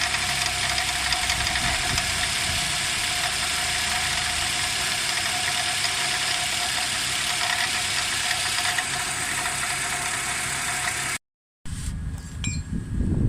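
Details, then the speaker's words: Nissan X-Trail at idle: steady high squeak over a fast, light rattle from the engine pulleys at the front; compressor okay, worn belt tensioner pulley found and replaced. "uh this Nissan x-trail the engine is squeaking fully I think from the fully engine pulley if something is squeaking"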